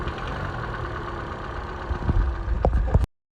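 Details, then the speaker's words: 2013 Hyundai Elantra 1.8 L petrol engine at idle: faint, hollow knock ticking with rotation, slight piston slap often missed by buyers. "to show you the 1.8 liter Hyundai engine that has that slight knock that most people miss when they go and buy these cars."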